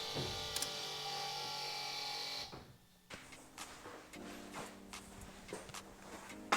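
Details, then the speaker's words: Toyota hybrid brake actuator motor (pump) charging the brake pressure accumulator. A steady high electric buzz runs about two and a half seconds, then cuts off cleanly; normal recharge. "That buzzing sound is actually the brake actuator or the motor charging the accumulator. It's recharging that reservoir that has the pressure so it's ready to use when it needs it."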